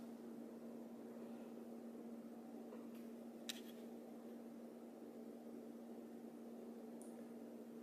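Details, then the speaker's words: Custom comms cabinet with both doors open: quiet constant fan hum with soft airflow hiss, no rattles or bearing noise; fans running normally. "Let's crank everything up to the max again. Again, I've got both the doors open, so there's no real airflow, it's just noise coming out."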